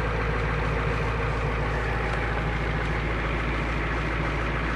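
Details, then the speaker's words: 1990 Ford E-350 Goshen bus with 7.3L diesel, heard from the rear: deep steady idle rumble with even low beat around three per second, barely audible at the back; normal diesel idle. "good to hear she's running. Back, you almost can't hear it back here."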